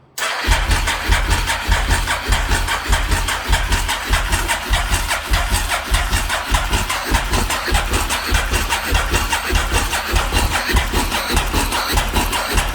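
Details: SP1 motorcycle under rebuild, 71,000 km (about 38,000 miles): continuous rhythmic starter churning near 100 strokes a minute for over ten seconds without ever catching; it cranks but will not start.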